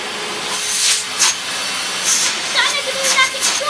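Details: Toshiba VCP-700S bagless vacuum cleaner, 750 W, likely 1980s/90s, running: steady high airy rush with an even motor whine, no grinding or surging; motor running normally.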